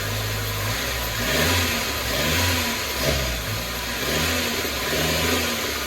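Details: Chevy (Geo) Metro after ignition system replacement: revs rise and sag roughly once a second, never picking up cleanly; bogs under throttle, power loss worsening since fuel tank change, new ignition didn't fix it, cause unknown.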